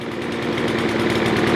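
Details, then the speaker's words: Craftsman M270 mower, 159cc electric-start engine, after no-start repair: steady, even high-speed buzz building slightly as the revs rise, no misses or surging; engine running properly. "Let them RPM sing. All right, so let me explain to you what I did. I tickled it."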